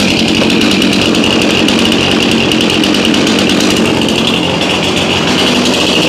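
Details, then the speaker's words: Chainsaw from a 2021 lawn care fleet, run at about 30°F after 5 months stored on untreated ethanol-free fuel, chain loose. A loud, steady high-revving buzz holds even with no stumbling or misfires: normal running. "okay no surprise there chainsaws always seem like they want to start no matter what kind of condition they're in"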